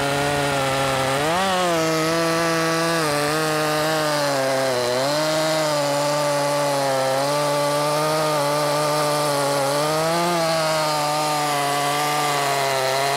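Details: Makita 5600 (Dolmar-built) chainsaw with freshly sharpened chain (rakers possibly filed too low): high steady howl dipping slightly in the cut and recovering quickly; cutting much nicer than the dull chain.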